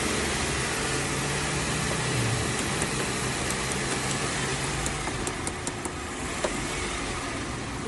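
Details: Old carburetted car with rough idle and poor acceleration, air filter cover off: after the butterfly valve was adjusted for a partial fuel-flow blockage, engine revs and settles cleanly with no stumble or hesitation; normal revving.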